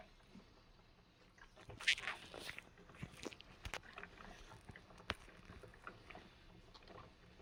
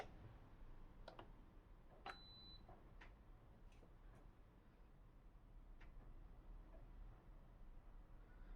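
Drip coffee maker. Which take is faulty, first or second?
second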